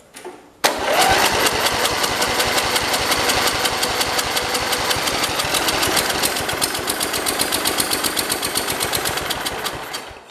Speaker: okay i think it's just running off of what we put in the carb so it is running there's no doubt about that the engine is running um it's not pulling up gas i'm noticing